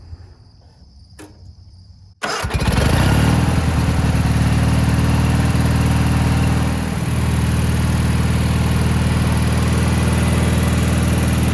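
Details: 1987 Gravely Professional 18G riding mower with Kohler Magnum 18 engine, after replacing the gas cap fuel gauge: a quick crank, then a steady, even drone with no whistle or misfire; normal running.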